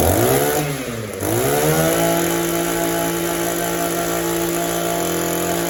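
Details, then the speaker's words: Echo two-stroke string trimmer, after a quarter-turn high-speed mixture adjustment and idle adjustment: revs dip and sag between idle and full throttle before a steady buzz; lean bog, carburetor running lean and needs disassembly. "It wants to bog a little bit between idle and wide open throttle. The carburetor is running lean."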